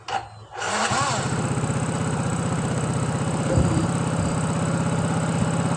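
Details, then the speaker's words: Yamaha Mio 115 scooter after new cylinder block, piston and rings (broken top ring had scored the block): starts on the button and settles into a steady, even single-cylinder putter, no knocks or rattles. Normal idle. "Ini kita coba starter dan bunyi dengan normal. Frekuensi sudah bagus, blok bagus, semua sehat ini."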